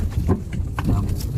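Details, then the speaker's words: 2017 Toyota Sienta Q, about 100,000 km, "dug dug" noise when steering, driven over a rough road: uneven hollow thuds from front and rear. "bunyi di bagian depan ada bunyinya dan di bagian belakang tadi ada bunyi guys"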